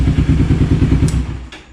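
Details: Kawasaki Ninja 250R (2008-2012) after DIY clutch replacement, not fully warmed up: steady even low putter at settled idle in neutral, no slipping or clatter; old worn, slipping clutch replaced and bike sounds healthy.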